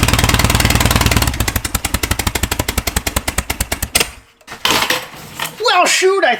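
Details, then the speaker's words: Air-cooled VW flat-four bare engine on a starter stand, no proper exhaust: loud, fast, uneven firing that dies after a few seconds; fires up half decent but rough, ignition timing needs dialing in. "we got somewhere uh we're going to have to dial the timing in a little bit but it Fire's up sounds half decent"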